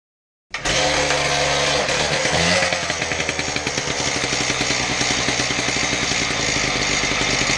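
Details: Husqvarna K770 concrete power cutter after repair of bogging, with replacement part likely from a K760: fires instantly, crisp buzzing two-stroke note holds and revs cleanly without bogging; runs healthy.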